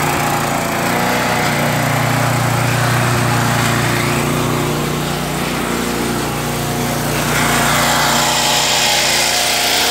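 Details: Craftsman Eager 1 mower, Tecumseh 92 cc engine, bought non-running: loud buzzing with pitch sagging and picking back up over several seconds; engine surging, cause not pinned down.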